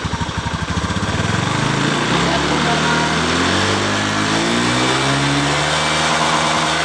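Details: Honda Beat eSP PGM-FI scooter, healthy engine before the water-spray test: engine catches, settles from a lumpy start into an even, steady idle with no stumbles or missed beats.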